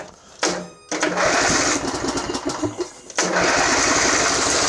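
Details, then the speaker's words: Craftsman riding mower, Briggs engine, choke off, shroud removed, on booster pack: revved up then cuts out abruptly as throttle closes and catches again unevenly; dies on decel, owner suspects a little dirt. "Let me rev it up and see what it sounds like. Well, it dies when you come to decel."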